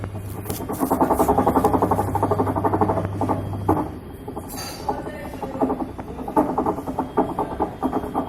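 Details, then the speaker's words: Whirlpool Stain Wash Ultra 6.5 kg washer on spin gives a low hum with an uneven rattling clatter; the gearbox is faulty, and the gearbox, 6006 and 6205 bearings and oil seal are being replaced. "Problem gearbox का, gearbox खराब है।"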